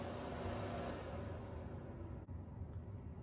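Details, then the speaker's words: Pure Enrichment air purifier, about four years old, after oiling the fan motor bearings, in sleep mode: soft steady low whoosh, nearly silent again. "now it's nearly silent again"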